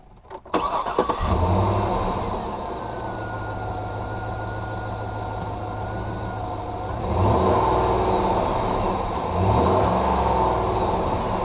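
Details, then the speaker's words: 2010 GMC Yukon Denali V8 started warm: short crank, quick catch, then a smooth, even idle with two clean throttle blips; normal warm start and idle, sounds healthy. "Let's go ahead and start her up and let you hear how she sounds under load, as well as just starting up warm."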